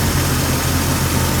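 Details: 1999 Jeep Cherokee XJ 4.0 inline-six at normal operating temperature, idling around 725 rpm after new Champion Copper Plus plugs, cap, rotor and wires at 60,000 miles: low, steady idle hum, even beat, no stumble or ticking; normal warm idle.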